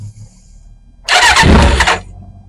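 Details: 1991 Kawasaki Ninja ZX6, first start in 10 years, before carb rebuild: catches with a sharp ragged burst for about a second, then collapses to a faint stumble; won't idle, carbs to be rebuilt.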